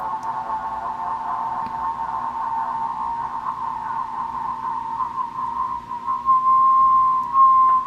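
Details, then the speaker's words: Uniden MB8719 SSB CB transmit offset adjustment, monitored on a second SSB radio: steady tone near 1 kHz that settles and holds, offset set right at zero beat, transmitter on frequency. "You hear that? That's right where the 0 beat is. It's when the echo, or the, it's really what we're listening to is just the audio, but because it's in tune, you hear that 0 beat."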